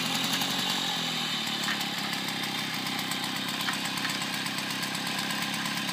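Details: 1972 Motobécane 40V moped, barn-find, first start after thorough cleaning and engine overhaul: crisp, buzzy two-stroke beat holding an even idle without stumbling or misfires; the engine runs clean and healthy.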